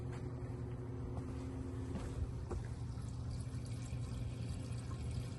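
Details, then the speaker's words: 2003 Chevy Trailblazer LTZ fuel pump running while it drains a full tank before replacing the leaking pump; a pinhole in the pipe was spraying fuel. Low steady hum under pouring liquid; the pump runs normally. "sounds like it's working I'm going to get this all drained out"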